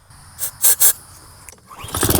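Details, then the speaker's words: Lawn mower on starting fluid after 30 minutes with 87 pump gas: a few loud pops, then a brief ragged run that fades; spark good, tank has gas, fuel starvation from water in fuel. "Now we definitely have a fuel problem because we saw it pop for a couple of seconds, and the mower hasn't been sitting for all that long,"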